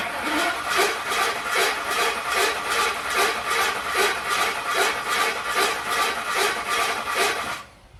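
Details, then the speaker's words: Ford F150 (10th gen) first start after new engine install: starter cranks with a rough, scraping note each turn; not from the engine front, suspected flex plate or starter. "It's making a peculiar noise in there. Sound like nothing up here nowhere on the front of the motor or anything. It doesn't sound like the motor itself. That sounds like a flex plate or starter."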